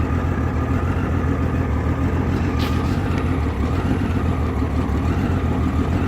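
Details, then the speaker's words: 1989 Honda Goldwing GL1500 with 115 on the odometer, timing belts just done and carburetor reportedly cleaned, fully warm: low, loping, uneven rough idle. It also surges on the highway, won't exceed 140–150 km/h and loses power on hills; owner unsure all cylinders fire. "It has a rough idle and it's kind of jumpy on the highway."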